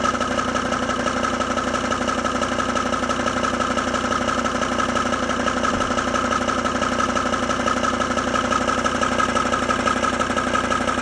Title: Knocking sound Volvo XC90 d5 - Help